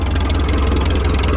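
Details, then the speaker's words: Minneapolis Moline ZAS tractor, after an oil change and a coolant top-off, with a straight pipe fitted: an even, steady low drone with a smooth firing beat and no misses or knocks. It idles cleanly. "That's it at idle right there."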